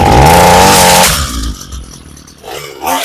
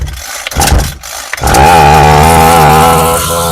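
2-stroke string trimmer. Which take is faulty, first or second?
first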